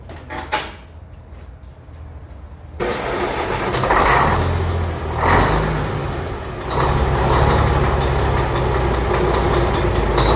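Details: Diesel engine at first start with turbo and radiator refitted: cranks, catches, then rough idle with rapid, uneven clatter over the rumble; oil pressure nearly 8; abnormal engine noise.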